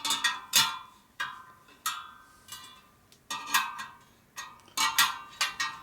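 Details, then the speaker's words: 1972 Harley XL Sportster wheel during lacing and truing, spokes tapped: single metallic taps about a second apart, bright ringing versus dull short ones; dull ones mark loose spokes to tighten. "That one's loose. These are pretty loose."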